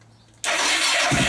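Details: Motorcycle started using a lithium jump starter pack after the weak battery failed to crank it: brief crank, catches within a second and settles into an even idle; clean start.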